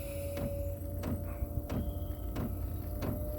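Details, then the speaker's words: 8 kW Gearzaar Chinese diesel heater on battery module, glow plug on drawing about 5.5 A at startup; sharp even ticks about every two-thirds of a second over a low hum as the dosing pump kicks in, normal. "So this is with the glow plug on, heating up. Now the module I brought, it only goes up to 10 amps. So if this ampage goes over it, it will not work. It actually probably just blows. But at the moment it's 5.5. Pump's just kicked in,"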